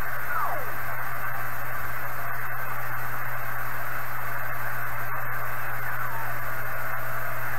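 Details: 1980s Kenwood TS-430S after Kenwood's relay-contact procedure, mid-afternoon poor conditions: even static hiss with warbling digital-mode tones drifting at signal level; receiver working normally.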